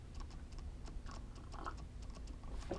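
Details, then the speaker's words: Tamron 20mm f/2.8 Di III OSD M1:2 lens on Sony E-mount, indoor test: faint irregular clicks and ticks in a quiet room as the lens hunts focus, noisy autofocus motor. "Just running a quick test on the gear, and we got the Tamron 20mm. Tends to breathe a lot. Tends to be noisy."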